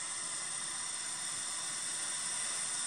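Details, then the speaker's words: Belarusian multicooker/pressure cooker making a steady, even high hiss as steam escapes through the valve while pressure builds. This is normal operation, and the valve is kept cleaned. "потом я покажу как она включится в период повышения давления друзья если слышно пошло шипение"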